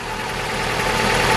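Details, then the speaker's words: 2004 Vauxhall Astra H (Mk5), hard to start, engine light on, head gasket failed: uneven juddering idle, heard at the engine and chuffing at the exhaust like a train; misfire from head gasket failure. "can see this juddering a misfire and if I take you to the exhaust you can also hear it back here as well she's chuffing away like a choo-choo train and does not sound good"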